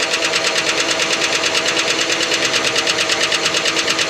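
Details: 1971 Cadillac Eldorado 8.2-liter 500 cubic inch V8 barn find, first run after sitting: loud, harsh running with a fast, fairly regular tapping knock about three a second over uneven running; a small vacuum leak suspected; knock source not pinned down.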